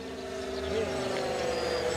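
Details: Electric Mustang P51D RC plane on its maiden flight, with the prop spinner noticed to be wobbly and vibration suspected: a steady buzzy mid-pitch drone with a rough, gritty edge instead of a clean whine, the motor slid forward on its hub and rubbing.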